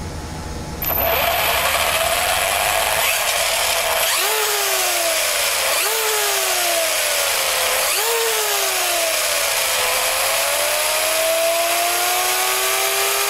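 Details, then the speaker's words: Noisy but healthy on-road-setup RC truck drivetrain with on-road tires, discs, pinion, spur and bearings in good condition; loud gear whine swoops up and down with each throttle burst, no clicks or skipping; normal drivetrain gear whine. "this is running smoothly as far as i'm concerned but it is noisy"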